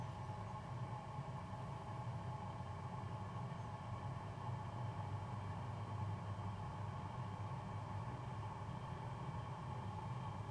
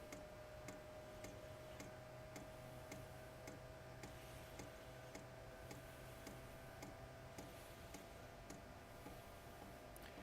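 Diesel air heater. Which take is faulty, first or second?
first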